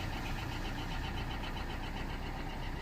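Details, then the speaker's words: Corsa D 1.3 CDTi diesel after removing a leaking, carbon-covered injector and replacing its seal, following a failure to start: it starts and settles into an even idle with a steady, regular clatter and no misses. Normal idle. "And it's running absolutely fine. Yeah, it's running good."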